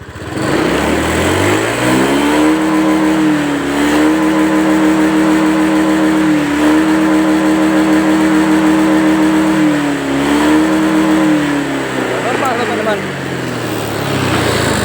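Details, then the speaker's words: Honda Scoopy with a hard-starting complaint, after the injector was cleaned and spray-tested with fuel pressure normal at 40: starts at once and revs cleanly up and down with no stumbling; now running normally. "Hidup. Hidup, Teman-teman. Enak ini. Coba kita gas."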